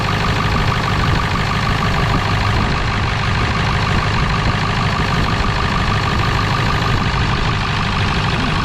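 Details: 1997 Ford F250 4x4 with 7.3L Powerstroke diesel, revived after not running: loud steady diesel clatter ticking over evenly at idle with no misses or knocks; runs healthy despite a big fuel leak, probably at the petcock valve.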